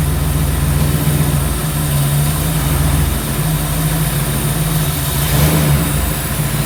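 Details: V8 on maiden drive after tape dropped idle about 200 rpm; deep even rumble pulling smoothly while driving and revving, no stumbling or hissing; motor sounds good, transmission shifted well, normal running.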